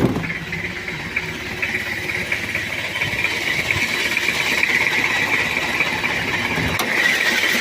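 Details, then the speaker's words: Toyota Kijang diesel with overheating history, head previously off, thermostat removed: idle clatter wavers unevenly, rough even when hot; weak injection pump or loose timing belt suspected, not confirmed. "ini untuk mesinnya untuk mesinnya idulnya goyang kalaupun panas juga goyang dan ini ada tanda-tanda di Bos pom Lemah atau ptiming bel kendor"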